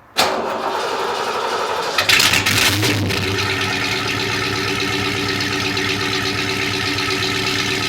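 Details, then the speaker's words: Old Ford with 199 horsepower engine, first start in about nine months after pumping out bad gas: quick crank, catches within a second, brief rev, then steady even idle with no knocks or misses; healthy. "get ready for the best-sounding hundred ninety nine horsepower on youtube"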